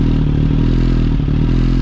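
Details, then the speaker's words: Suzuki GSX-S 1000, hot, after aftermarket header and exhaust, before ECU flash: loud, deep exhaust idle that swells and sags slightly instead of holding even; lean idle surge, to be fixed by ECU flash. "So that's where the bike is super lean now, meaning not getting enough fuel. We're gonna address all that with the ECU Flash."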